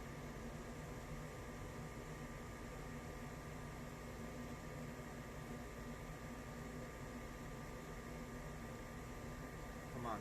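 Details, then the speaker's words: Goodman furnace after its screeching blower motor and fan were replaced: even, steady hum with smooth airflow rush and no screech or rattle; the blower runs normally. "in i fixed it listen to that baby hum [Music] yup so it's working good"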